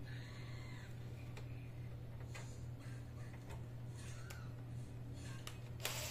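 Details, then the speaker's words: Samsung Medision Accuvix V20 ultrasound computer after fixing a wire caught in the fan, new memory and heatsink compound: low steady hum with no rubbing or rattle, faint light ticks; CPU fan now runs quietly. "ayun guys, gumagana na yung ano niya. So wala nang ingay. So gumagana ang CPU niya."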